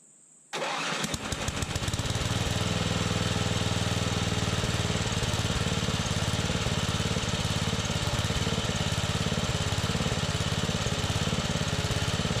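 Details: Free scrapped Simplicity 4208 riding mower, roughly late 70s-early 80s, brought back to running: starter spins briefly, engine fires at once and settles into a steady, even single-cylinder chug with no misses.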